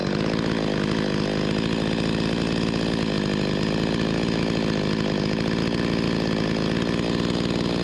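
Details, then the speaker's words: Stihl 025 chainsaw (16-inch bar) after carburetor replacement fixing hot no-start flooding from a stiff diaphragm: steady, clean high rev with even buzz and no stumbling or surging, running properly, needing only slight adjustment. "Need to be adjusted a little bit. I can hear it. It got a little bit more in it than that. ain't gonna win no contest, but pretty good."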